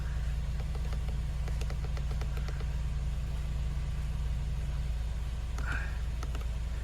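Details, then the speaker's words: Mercedes-Benz B-Class W246 idling after auxiliary battery replacement: steady low idle hum, no misses or knocks, a few faint clicks; engine runs smoothly with the auxiliary battery fault code cleared. "没有了哈，已经完成了，这样就没问题。"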